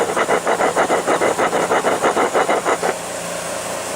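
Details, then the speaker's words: 1992 Cadillac, removed water pump turned by hand: gritty rasp pulsing about three times a second, then stops; rough worn water pump bearing causing vibration noise, not squealing or leaking. "you were hearing a noise out of it most of them could say that there's a squeal in it or it'll start leaking water when the pump goes out but that's not it"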